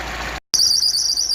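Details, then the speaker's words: Car at idle with shrill wavering high squeal from slipping accessory belt; owner's fix is rubbing a wax candle on the belt to stop the noise. "eu vou ligar o carro novamente e vai fazer o barulho novamente eu vou passar essa vela tá que a correia e com depois de passar essa vela vai acabar este barulho"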